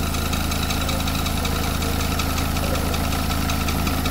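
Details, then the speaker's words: Renault Megane 2 petrol engine idling: quick bird-like chirp about four times a second from the belt end; owner suspects the belt tensioner or the alternator-end bearing, to be fixed by an electrician. "ya gergisi ya da şarj damasının ucundaki bilye bozuk onu da elektrikçiye yaptıracağım"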